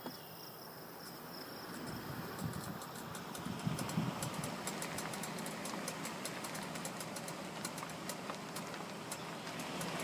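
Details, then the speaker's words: 2013 Ford Explorer, about 20,000 miles: sharp, steady clicking, about four per second, from the left front on right turns over low road rumble; loose front half shaft in the hub, fixed with a thrust washer. "okay so that's exactly how a CV shaft will sound when you go on turns and they start to fail like that they'll do that clicking noise"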